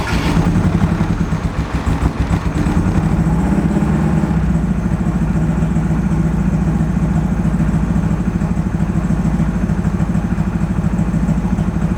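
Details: High-compression turbo Mazda Miata after a blown head gasket rebuild, timing set: loud, lumpy, stumbling idle that sounds down a cylinder; compression test then reads zero PSI on cylinders three and four.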